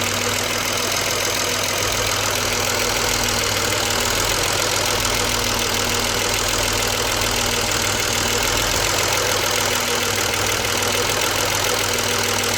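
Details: BMW 635CSi E24 under investigation for rough idle, with the air hose refitted to the throttle body, at normal operating temperature: steady, even warm idle with no stumble, surge or misfire. It previously shuddered and stalled on throttle.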